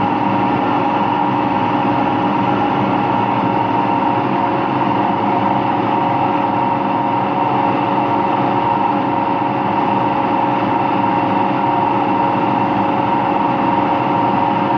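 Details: Washing machine on an empty rinse-and-spin cycle gives a loud, steady roar with a humming tone. The owner suspects both the motor bearing and the drum bearing are worn, unconfirmed; no leak was seen.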